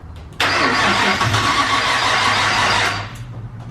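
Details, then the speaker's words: Nissan R34 with new exhaust, Hypergear ATR43SS highflow turbo with T51R mod and bigger injectors, before tuning: fuel pump audible, long laboured crank about two and a half seconds, hard start; suspected running too rich. "Well, I can hear that fuel pump. Didn't sound like it cranked very"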